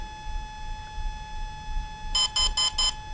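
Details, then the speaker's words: Volcano 30A brushless ESC on a 450 RC helicopter entering programming mode after its setup tune: short, evenly spaced high beeps over a quiet hum count one, two, three as it cycles through the menu items. "now it's going to go through a sequence you heard one beat now two beeps three beeps"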